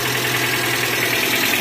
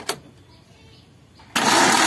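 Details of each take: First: Suzuki APV (G15 engine) that had suddenly died, started after timing belt repair: key on, check-engine lamp lit, engine starts into a steady, even idle with a smooth low hum and no knocks or misses, running normally. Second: Suzuki APV (G15 engine) that died suddenly while driving, cranking: noisy starter spins fast, light and even with no compression pulses, like compression leaking; no compression because the timing belt snapped.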